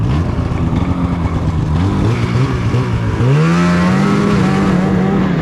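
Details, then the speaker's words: 2016 Polaris Indy 600 SP snowmobile test ride verifying complaint: won't pull higher, engine drones, rises briefly then flattens and bogs under throttle. Fuel starvation from a plugged fuel filter. "I couldn't get any more out of it so I don't think there's any point in putting a draggy on here cuz this thing is not performing at all"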